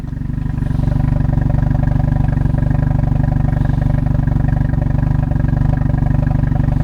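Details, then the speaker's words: 1992 Mazda RX-7 twin-turbo FD3S rotary with spark plugs replaced; the idle fluctuates and hunts with coughs from the exhaust. It seems worse cold and smoother when warm, and the gauge shows low oil pressure. Rough idle. "The RPMs are a little bit fluctuating, and you're getting a little bit of coughs coming out of the exhaust."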